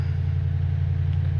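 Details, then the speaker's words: Toyota Tundra with crank-no-start, hard start and rough idle, after replacing fuel pump driver module behind driver's rear tire: smooth even low rumble, no misses or knocks; running good. "Let's wait another second. See how she's going to run. Well, it seems to be running good now."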